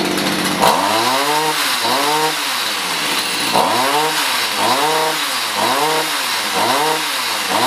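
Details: Stihl HS45 hedge trimmer two-stroke that wasn't starting, likely long stored, after carb high/low screw adjustment: picks up cleanly on each throttle blip and drops back to steady idle; normal running and throttle response.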